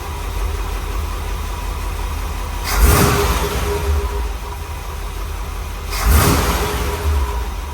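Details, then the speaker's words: Rebuilt small block Chevy V8 in a dump truck, run at idle just after first startup, with the manual choke unhooked and timing not yet set. Steady, even idle with two throttle blips and no knocking; it knocked badly before the rebuild. Normal idle. "See if we can't just idle a little bit. I still haven't hooked up the uh it's got a manual choke cable. I still got to hook it up. But she sounds pretty good."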